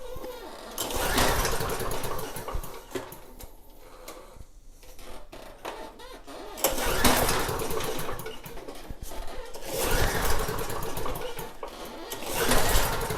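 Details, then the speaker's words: Snapper mower engine, repeated pull-cord cranking with only compression chuff and no firing. Spark check shows no spark and a wet plug. A new plug also gave no spark. The no-start was traced to the kill wire. "Let's check for spark. Aye. I don't see it. I don't see any spark. The plug is wet."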